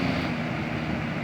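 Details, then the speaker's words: Wind Machine three-speed fan after oiling seized motor bushings and cleaning lint: steady, even whoosh with a low hum, no rubbing or ticking; motor spins freely, no smoke or sparks. "it's a three speed so there's low medium High not seeing any smoke not seeing any Sparks"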